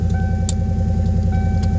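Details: Car at idle just after starting, check engine light on, probably from the exhaust: deep idling rumble with a rapid, even puffing pulse from an exhaust leak.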